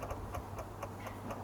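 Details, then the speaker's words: 2002 Aprilia SL1000 Falco V-twin, about 3,500 miles, sitting 21 years, won't start; bike drawing current while fully off. Fast, light clicking about four per second: relay chattering in dash electrics, ignition off. "As soon as I put that on there, the dash started clicking like crazy. Again, the thing is not even on at the moment. Completely off."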